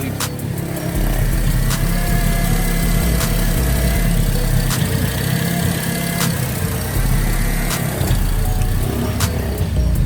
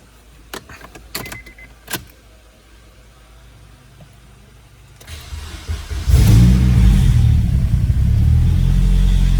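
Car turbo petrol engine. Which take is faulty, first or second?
first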